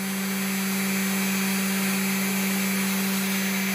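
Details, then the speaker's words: Cheap 300/500/800 W spindle motor after balancing its plastic top fan: steady, even hum with a clean high tone and no wobble or rattle; vibration gone, quiet enough to talk over, airflow unaffected. "as you can see everything is now smooth nothing's vibrating around the noise is quite quiet i can easily talk over it's much smoother"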